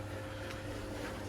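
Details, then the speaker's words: Miele Novotronic W1613 washing machine on a 95-degree test wash after an F63 error repair, draining: steady low pump hum with light hiss, no grinding or knocking; drain pump sounds healthy. "Just have to let it go and do its thing. Right, it's doing a drain out."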